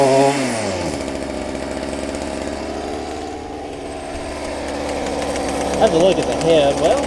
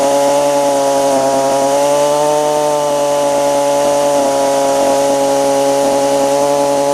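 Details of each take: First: Stihl FS45 two-stroke trimmer after carb, fuel line and filter replacement for bad diaphragms, carb not yet adjusted, cold outdoors; revs up and settles back cleanly with crisp even buzz, no stumbling; normal running. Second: Stihl FS45 two-stroke trimmer after carb, fuel line and filter replacement for bad diaphragms, unadjusted, cold outdoors; steady high-pitched scream at full revs; owner suspects high-speed needle might need backing out slightly; mixture possibly off.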